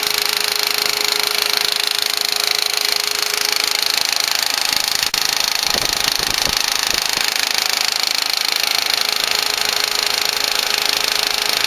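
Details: 2004 VW Passat 1.8T GLS engine: fast, even light ticking, about three per second, from the rear of the engine area. It is intermittent and louder at startup; some suspect a lifter, unconfirmed.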